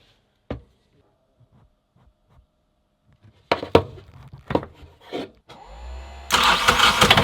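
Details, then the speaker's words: Small four-cylinder sailboat diesel on the hard, raw water via hose in strainer, started via parallel switch from lithium bank to starter battery: switch clicks, short crank, catches and runs; normal start and idle. "But it sounds good. It smells like old egg. Good to go."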